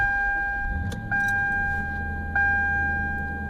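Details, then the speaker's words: 1999 Toyota Land Cruiser 100 Series at idle, recorded in cabin with doors closed, before muffler replacement: loud steady droning boom with harsh resonant frequencies, nearly straight-pipe loud; failed muffler. "Nice and loud. Not quite as loud as a straight piped vehicle, but it is obnoxious and it sounds terrible. And there are certain frequencies right there that sounds okay. But certain frequencies are just awful. Very loud, a lot of resonance, not how it's supposed to sound."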